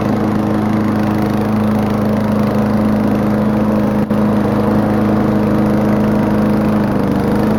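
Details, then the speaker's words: Old lawnmower with modified muffler (baffle holes opened into expansion chamber), throttle spring bent for more speed, at full throttle: flat, hard raspy drone much louder than stock; loud exhaust from modified muffler. "lawnmowers are loud in general, but this one's especially loud."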